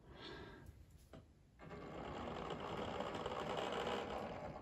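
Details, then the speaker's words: Hornby Railroad Plus Deltic model locomotive with TXS sound decoder, after about 20 minutes running anticlockwise: faint, steady buzzing whirr with a fast, even flutter, motor vibration noise still present. "vibration coming from it. So I'll give it a run round and see how I get on. So as you can see and probably hear, it's still making quite a noise."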